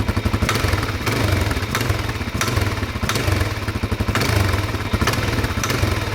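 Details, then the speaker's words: Suzuki DRZ400 idling: a sharp, aggressive knock on each short throttle blip, about every half second, while it runs fine at full throttle. Source unknown; owner suspects something hitting and plans to check valve cover and timing. "when you have it idling here and you blip the throttle just a little blip it knocks like it's a it's an aggressive knock and so now I got to figure out what that is"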